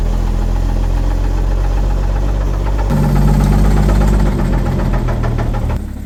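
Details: 1950 Chevrolet 3800 one-ton truck, abandoned since 1977, running with heavy, fairly regular low knocking about four per second; owner suspects rods were filed or ground down earlier to keep it alive, worn babbitt rod bearings: rod knock.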